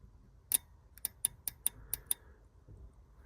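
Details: Relay board removed, relay bench-tested across two pins: the known-good relay gives seven crisp, sharp, firm clicks about a quarter second apart, unlike the weak click of the bad relay, whose contacts were found charcoaled; healthy relay click.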